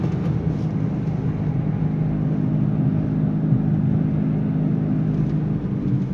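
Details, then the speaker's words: Nissan Sunny driving with engine quiet: steady low humming drone and vibration that rises with speed and persists in neutral as in third gear, tracking road speed not revs; worn wheel bearing. "Okay जैसे जैसे speed बढ़ेगी तो और ज्यादा ज्यादा आती रहेगी और न्यूट्रल में भी आएगी"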